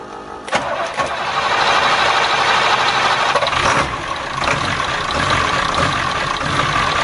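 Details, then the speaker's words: 7.3 diesel swapped in for a 6.9 IDI on a 1989 International S1600, cold start in 30s°F after glow plugs, fuel diesel mixed with ATF: brief crank, catches, settles to steady slightly uneven idle with exhaust hiss; normal. "Battery died on the camera, but now I've got the exhaust hooked up so it don't sound bad like it did. That noise you hear is the exhaust back pressure valve doing its job, trying to help the engine warm up."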